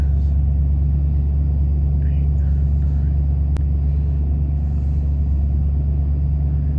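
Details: 1993 Ford F-150, about 110,000 miles, at startup: low heavy idle never settling into an even beat while check-engine light flashes codes 998 (limp mode) and 122; faulty throttle position sensor, part on order.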